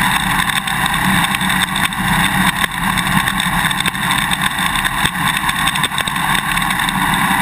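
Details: GoPro Hero 2 on a motorcycle swing arm while riding: constant fast clicking and rattling over engine and road roar. The loose quick-release buckle is chattering in its mounting bracket; fix is the vibration plug and tape or straws between the parts.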